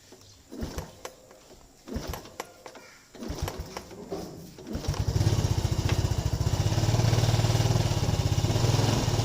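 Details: Yamaha Lagenda 115 FI that is hard to start and keeps stalling: sputtering failed start attempts, then an uneven, hunting idle that struggles to hold; unstable idle.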